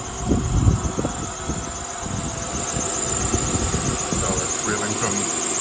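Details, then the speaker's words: 2001–02 Acura MDX at idle: thin steady squeal over the engine rumble, with the serpentine belt close to breaking; the serpentine and power steering belts are to be replaced. Worn accessory belt squeal suspected, not confirmed. "so let me show you our issue this is the noise the sound that we're getting you hear this"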